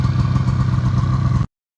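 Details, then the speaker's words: 1980 John Deere Liquifire two-stroke snowmobile after a Mikuni VM carb clean, with old gas still in the crankcase. Crisp, buzzy running with a quick, even beat and no misses; less smoky now, clean and responsive. "Blowing all the cobwebs out of her. She's a little less smoky now. They are sporty though, just right on the ground."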